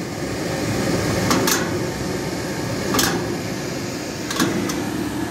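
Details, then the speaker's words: Hamworthy Wessex Modumax Mk3 boiler firing: steady burner roar with irregular popping and crackling bursts every second or so. The boiler is kettling and overheating quickly, apparently because the pump isn't running, so there's no water circulation. "so i need to go and investigate that because the boiler is kettling and overheating very quickly as you could hear"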